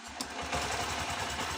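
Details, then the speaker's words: Honda SP BS6 motorcycle with starting and missing problem, now with an injector borrowed from another bike: quick, even ticking beat with steady firing, no stumbles or misses; normal idle, confirming the old injector was faulty. "দাদাভাই দেখো গাড়ি আমাদের start হয়ে গেছে। Pickup দিছি।"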